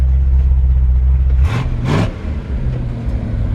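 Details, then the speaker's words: 1964 Chevrolet C10 V8 automatic under way, still warming up: deep, even V8 exhaust rumble, easing off briefly midway with a short rush of air; smooth firing, a healthy classic Chevy truck sound. "like that iconic chevrolet v8 old truck sound"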